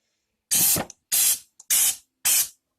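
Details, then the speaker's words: Paint spray gun during a bulkhead and sub-frame refresh, very little paint left, gun tipped so the pickup gets none: four short sharp bursts of dry hissing air with no wet spatter. Spraying air only, no paint feed. "Sorry, I keep tipping it, up this way, and I don't get any paint."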